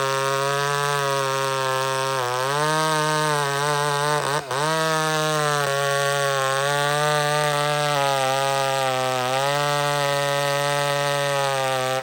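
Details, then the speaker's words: McCulloch Super Pro 70 two-stroke chainsaw after fix, mixture just fattened, cutting: crisp even scream dips under the cut and recovers, no bogging or four-stroking; earlier racing traced to pulse line, possibly gasket sealer in it, now fixed. "the fact that this thing's not racing up and down and doing all kinds of crazy stuff it's a sign that it's fixed"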